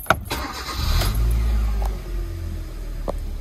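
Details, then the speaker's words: 2010 Hyundai i20 1.4 four-cylinder after clearing codes following misfire repair: catches at once and settles into steady, even idle with no stumble or miss, running smoothly on four cylinders, no engine code. "She Goes running beautifully and smooth on four cylinders again no misfire no engine code"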